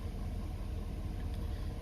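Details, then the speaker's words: 2017+ Ford 6.7 Powerstroke diesel, warm, just after fuel filter change and bleeding air from the system: low, steady rumble with an even beat, no misses or air-induced surging; healthy idle. "I heard a few more bubbles, little pockets, and call that good and crank it up. Fired right up. I let it run a couple of seconds. Mine's warm."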